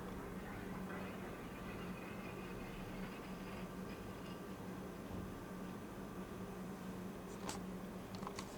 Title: Fujitsu ASYA-12LGC making strange noise